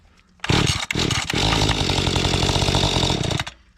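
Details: Mantis tiller small two-stroke, before primer bulb replacement. It gives a high buzz that stumbles and dips, then holds an uneven, ragged note. Fuel starvation is suspected (lean high-speed screw or a faulty bulb), not confirmed.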